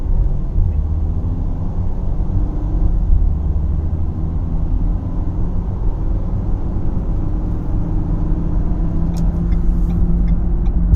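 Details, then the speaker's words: 2012 Ford Fusion SEL while driving: a deep, steady hum under road noise, growing louder around 50–55 mph, possibly with slight vibration; a road-speed humming noise of unknown cause. "See if you guys can hear that humming sound. Past 35, 40 now. About 50, close to 55. It gets louder at 50, 55, and I think there might be a little bit of a vibration."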